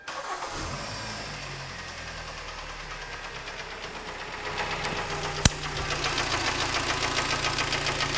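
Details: 2013 Kia Sportage AWD at about 120–125k km, started with the hood open outdoors: light rapid knock over the idle, about three to four per second, rising as it warms; piston knock from scored cylinder walls, with slight oil consumption of about 100–150 g per 1000 km.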